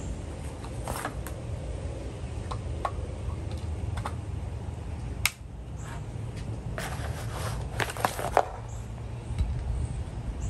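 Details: 1950s Milwaukee Model 414 Sawzall, non-working since the 1980s, cleaned and oiled with 30-weight oil: steady low motor hum with an even reciprocating drone and a few light clicks; runs smoothly and normally.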